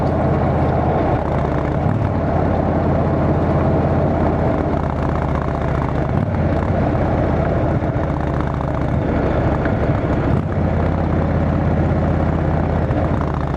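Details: Motorcycle on a road test ride after replacing the failed exhaust gasket with a similar-thickness one: smooth, constant exhaust drone while cruising, slightly wind-blown, no ticking or puffing; exhaust leak fixed, note sealed and healthy, bike still awaiting tuning.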